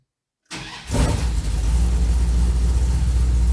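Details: Dodge V8 truck with Holley Sniper EFI, after fixing idle air control surging and regrounding, possibly flooded from key cycling: a brief crank, it catches quickly and settles into a steady idle with no stumble or surge.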